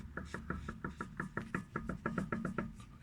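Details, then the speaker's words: Lada Vesta 1.8, 10,300 km, front left wheel rocked by hand: rapid even knocks; calipers ruled out, owner suspects ball joint or tie-rod end, possibly a tie rod not fully tightened; unconfirmed. "кто-нибудь знает нет что это за звуки могут быть такие от чего от шаровой либо наконечник"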